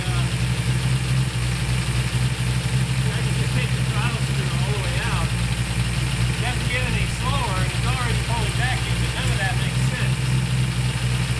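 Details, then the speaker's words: During a tune-up of the 1968/69 Ford Torino GT 390 FE V8s, a deep, steady V8 burble is stuck at a high idle while the idle mixture screws are adjusted. It pulls vacuum even with the throttle closed and the idle screw fully out; the owner suspects the pedal. Dwell and timing seem okay. "okay you can hun under it boy it's really strong struggling you know what I mean struggling"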